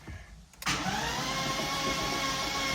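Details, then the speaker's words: Flood-submerged 2006 BMW E46 M3 (S54) cranking on a substitute M54 starter after oil pan and frozen starter replacement: steady whine, even cranking, no grinding or clicking; normal cranking with crank signal. "We've got crankage and we have crank signal."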